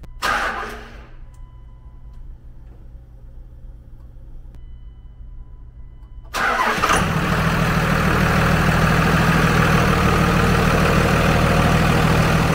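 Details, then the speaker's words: Dodge 2nd-gen 5.9 24-valve Cummins diesel after upgrading the factory Carter lift pump to a 100 GPH, 17 psi Airdog with big line kit, key bumped 30 seconds to prime: cranks, catches quickly, smooth even idle with no misses. "well that is the most quiet fuel pump I've ever heard in fact I had to look twice to make sure it was even running um so I bumped the key it ran for 30 seconds fired the truck up and it hasn't missed a lick"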